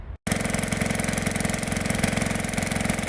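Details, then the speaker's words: Gold dredge pump's small single-cylinder engine after sitting nine months, with carb cleaned and fresh gas. It catches and settles into an even, steady rapid beat with no stumbles or misses. It seemed to run pretty decent. "I have a hard time believing it but it seemed to run pretty decent right now"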